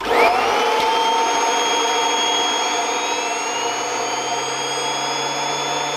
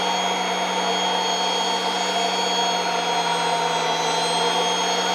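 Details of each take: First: Kirby Avalir vacuum with stretchable hose driving the turbo sander: steady vacuum roar with a high airy whine that sags in pitch as the hose is stretched, reducing airflow and slowing the sander. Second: Kirby Avalir vacuum with air-driven turbo sander on the stretch hose, unstretched at three feet: steady, even high whine with no surging or dropouts, sander spinning at full healthy speed before stretching reduces airflow and speed.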